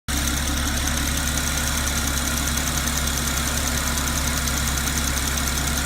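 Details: 2010 Porsche Cayman S 987.2 DFI engine at steady idle with a fast, light, even ticking on top; owner unsure if normal or which part it comes from.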